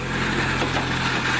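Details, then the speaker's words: Suzuki Samurai idling after exhaust leak weld repair and fuel injection/carburetor cleaner added: steady idle with a faint thin whine on top; fan bearing going bad. "brings me to my next problem as I pointed it out before at the fan belt or a fan flush the bearing and it's going bad and you can hear it"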